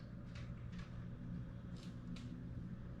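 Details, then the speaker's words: Newly set-up custom PC after power-on: fans rev loudly at startup then settle to a low, soft, steady hum with no whine; normal quiet running. "It's kind of loud, but it quiets down once it turns on. It just likes to rev up the fans to get started. But now you hear how quiet it is."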